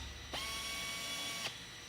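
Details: Pneumatic FlexArm tapping arm at 45 psi driving a 1/4-20 helicoil into a blind hole in aluminum: steady high airy whine about a second, cuts off cleanly, then automatically reverses; normal operation.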